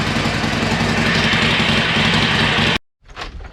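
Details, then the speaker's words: Harley-Davidson Iron 1200 V-twin started after its dead battery (switch left in accessory position) was put on the charger, checked out of gear: loping, even idle with a steady low beat, running cleanly; normal idle. "If we got it out of gear or not, let me see. Appears to be. That sounded much better."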